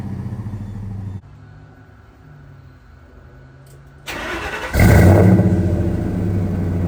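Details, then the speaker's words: 2002 Ford F150 Harley-Davidson supercharged V8 with long tube headers, high flow cats and new mufflers, fully warmed up with full oil pressure: deep even idle rumble, then sharp clean rev and smooth settle, no misses or rattles; normal exhaust note. "I don't know about you, but I think that sounds pretty doggone good. I could be wrong, but that's what I think."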